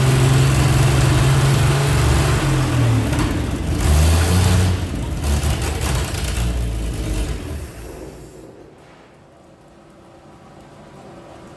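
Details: 1948 Chevy truck engine not run for 30 years, diesel in the oil pan, after the points stopped opening and closing and were readjusted: settles into a fairly even, steady idle for several seconds, then dies away, possibly as spark is lost.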